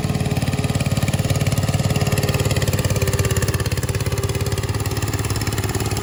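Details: Restored 1968 Bolens Husky 775 hydrostatic garden tractor with swapped Hatz 1B30 single-cylinder diesel, mowing: steady thump about three and a half beats a second, holding even under mowing load; normal running under load.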